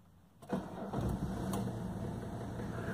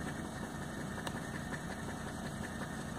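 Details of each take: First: 1985 Mercedes 300TDT (S123) diesel, 500,000 km, first start after sitting outside a whole year, loosely connected battery: short crank, then catches and settles into a steady clatter, with a brief ringing alarm partway through. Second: 1985 Mercedes 300TD (S123) with 500,000 km, first start after sitting outside for a year: steady, even diesel clatter at idle with no knocks or misses; normal diesel idle.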